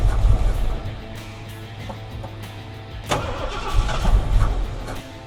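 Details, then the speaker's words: 1976 Ford F100 with 460 V8 after long storage, carburetor just rebuilt, old fuel partly drained: loping uneven idle with surging, like one side not firing; owner suspects fouled plugs and old fuel, unconfirmed. "it was definitely dead on one side there for a little bit wouldn't even be surprised if the plugs were all filed out there"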